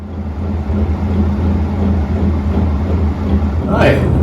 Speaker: you're wondering what that noise is, it's a ceiling fan above my head, and it makes this vibrating, rumbling noise.